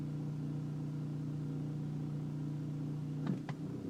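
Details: 2004 BMW 325i E46 at idle or coming to a stop: steady low drone with a faint uneven hum and vibration through the car, stopping with slight throttle; idle vibration noise, cause not identified.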